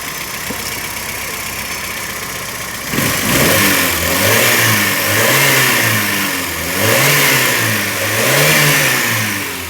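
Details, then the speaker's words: VW Gol AP engine after a blown head gasket repair (it had been running on only two cylinders) and a cooling system cleaning: smooth idle, then clean repeated rev blips with no knock or miss; the noise is totally changed. "o tá acelerando aqui mostrando o barulho para vocês dá Total mudança aí beleza"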